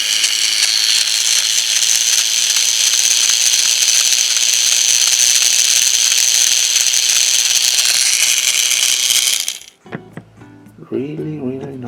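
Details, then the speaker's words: Thomas Trackmaster Billy toy train motor with a worn gear giving a loud, harsh, high-pitched buzzing rattle, worst with the body cover on; fix is replacing the gear and greasing it. "and when you put the cover on the body the noise is worst so i'm going to change the gear and i'm going to put some grease right here"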